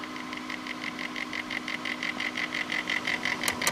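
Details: Corsair H80 liquid CPU cooler failing two hours after install: an intermittent, rapid, pulsing raspy chatter and grinding over a faint steady hum from the failing pump.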